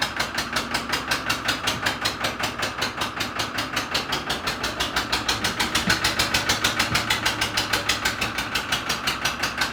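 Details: Cold 3-cylinder Lister diesel in a flooded ex-harbor boat, first start: sharp even clatter around eighty beats a minute with revs drifting up and down under heavy throttle, a rough hunting idle. Owner suspects air in the system or crankcase water.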